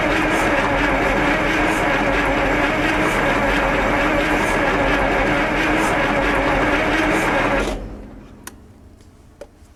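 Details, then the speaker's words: Onan 140 WE generator, 884 cubic inch V8 on gas feed, first test run: steady cranking near three turns a second with almost 20 psi oil pressure but no fire; owner suspects timing set too early, as it slows when trying to fire. "almost 20 lbs of oil pressure that's good no fire though well I know the timing might be set a little early cuz it when it tries to fire I can hear it slow down"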